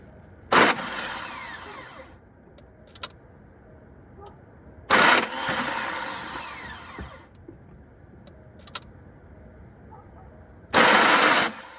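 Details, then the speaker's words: 2003 VW Beetle, ALH diesel, 5-speed, deleted. New fuel filter, all lines, pump and injectors bled, injectors dribbling fuel. Three 1–2 second cranking bursts, the starter spins freely but it never fires; owner suspects the N108 valve. Cranking, no start. "Yeah, so the starter spins, but nothing is engaging with anything, so please help."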